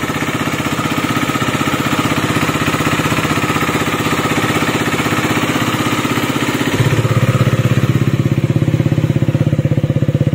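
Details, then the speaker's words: KTM Duke 250 BS6 after repair work: even, regular single-cylinder idle with no top-end rattle or tick. The earlier engine noise is gone. "तो आपने देखा जो इसमें पहले sound आ रही थी मैंने अभी आपको वीडियो में सुनाई थी तो वो साउंड बिल्कुल बंद हो चुकी है और गाड़ी बिल्कुल ओके हो चुकी है।"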